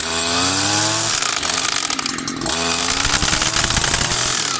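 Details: New Stihl FS 94 RC string trimmer first start-up, choke on then throttle squeezed; high buzzing two-stroke catches, dips briefly, then revs evenly: normal running after first start.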